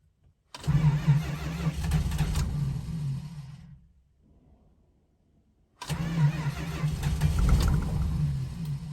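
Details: 1971 Dodge Charger R/T 440, cold start attempt after sitting four months, finicky carburetor needing rebuild, battery suspected weak: two long bursts of slow, uneven starter churning with a pause, engine never catches; cause not confirmed.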